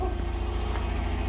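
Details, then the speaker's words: 2009 Dodge Journey 3.5-liter V6 on its first start after new spark plugs and a coil replaced for a misfire. A smooth, steady low idle hum with no stumbles or misfire pops: a healthy idle. "Add a little oil getting the cylinders. That first initial fire up. So, not looking too bad here."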